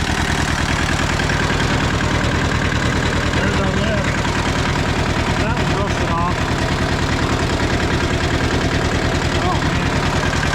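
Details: Old rusty Hinomoto diesel tractor, unstarted about two to three years, glow plugs and starter jumpered without key, radiator needing replacement; steady low clatter at an even idle, firing regularly with no misses or knocks: normal idle.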